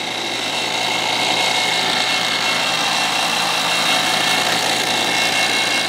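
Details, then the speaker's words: Appion TEZ 8 CFM vacuum pump, compared with J.B. Platinum 7 CFM: steady high-pitched whir with hissing exhaust rush, no knocks, a little louder than the Platinum; running normally. "Turn it on. This one does seem a little bit louder."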